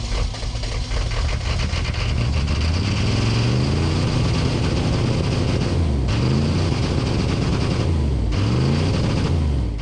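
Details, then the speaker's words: 1990s Chevrolet K3500 1-ton diesel pickup, battery just recharged, about 50°F: smoky rough start, then lumpy low idle with revs surging up and down and rattling, sounding like a big cam; running rough. "thankfully the thing actually started this thing starts rough it's not like it's even cold outside it's like 50° and this was a smoky [Music] mess"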